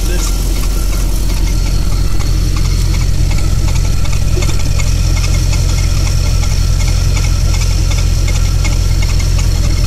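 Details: Audi Coupe V8 warmed to over 70°C idling with a loose irregular knock from the lower passenger-side cylinder head area over a deep rumble; the noise faded over time; cause unknown.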